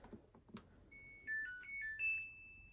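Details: Samsung DV80M50133W Optimal Dry 8kg heat pump tumble dryer, bought for spares with a reported C5 error (tank full or pump not pumping): a few soft knocks, then a clean rising startup tune with no error beeps. Normal power-on chime.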